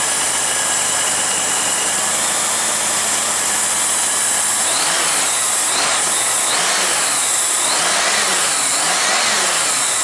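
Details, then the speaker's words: Honda GL1500 Goldwing after carburetor clean and accelerator pump repair, cold start in the low 30s, on choke; engine ticks over under hiss with several throttle blips; normal cold idle on choke. "well when the temperature is in the low 30s I guess it would need a little bit of warm up but it certainly should be drivable without having to sit here for 10 minutes"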